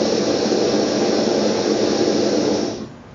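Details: Brunton Vesta backpacking stove, designed only for LP gas, running on its LPG canister: steady, even roar of a clean gas flame with no visible yellowness that holds constant, then dies away as it is shut off; burning properly.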